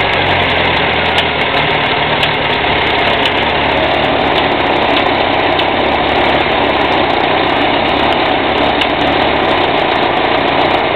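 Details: UZAM 1.5 engine at idle: light, irregular ticking knock over the engine note; engine knock, cause suspected, not confirmed.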